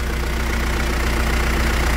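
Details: Mitsubishi Triton 3.2 diesel after decarbonization by another shop, turbo audible; deep, even idle with a smooth steady beat, no knocks or whistles; engine running healthy.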